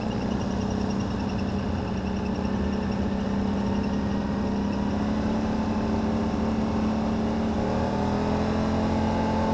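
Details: 2009 Can-Am Renegade ATV with a steady engine drone and a faint irregular whirring and ticking; owner first suspected a CV shaft, now suspects the CVT housing; fine a week earlier, temperature has since dropped 20 degrees; cause unconfirmed.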